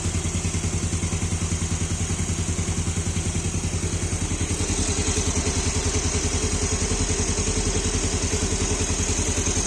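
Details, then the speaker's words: Fuel-injected motorbike with a hard-starting complaint, after clearing the sensor and resetting the standard ISC, engine connected to a diagnostic tool: even steady idle at the normal 1200 rpm, about three pulses a second, no misses or surging; normal idle. "Nah, ini normal. Langsamnya kita bisa lihat di sini ya. Normal kan akan diangkaat 1200."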